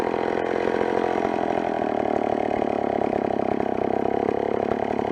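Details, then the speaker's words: Old McCulloch chainsaw after adjusting the carburettor screws: a crisp, even two-stroke buzz holds a steady pitch with no stumbling or surging, running clean and well tuned. "She's bang on now."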